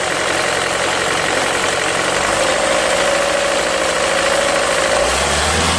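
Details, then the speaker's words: 2003 Renault Mégane 2 phase 1 1.5 dCi diesel at idle: steady clatter with a thin, faint high bird-like chirp for a few seconds; owner thinks the timing belt needs redoing, cause not confirmed. "Voilà, c'est un bruit d'oiseau. Si vous avez des solutions, merci beaucoup."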